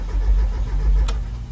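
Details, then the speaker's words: 1994 Mazda Miata, 86K miles, parked 11 years: steady low starter churn with no firing; cranks well but gets no fuel, and no fuel pump is heard, so the pump is suspected dead. "sounds okay sounds like it's not getting fuel it's cranking"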